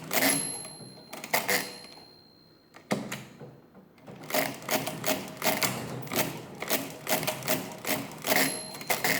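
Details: Mid-1920s Marchant XLA lever-set mechanical calculator after repair: crisp, even clatter of carriage cycles about once a second with a clear bell ding. The ratchet forces each cycle to complete; the mechanism cycles cleanly and sounds healthy.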